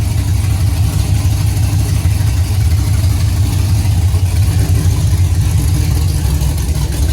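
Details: 5th-gen Camaro V8 on its first start-up after broken-piston repair, DOD/AFM delete and Texas Speed 224R cam, no AC belt because the compressor is gone: deep, steady idle rumble with an even beat and no stumbles or knocks; running fine.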